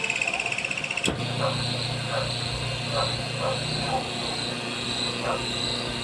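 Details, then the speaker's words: Washing machine wash motor bench-wired through timer switch and capacitor: low even hum with a light scuffing pulse under a second apart, caused by the two pieces of masking tape attached to it rubbing the turning part. "Yung tunog na yan, dyan yan sa kinabit kong masking tape. Dahil dalawang ikinabit ko dyang masking tape."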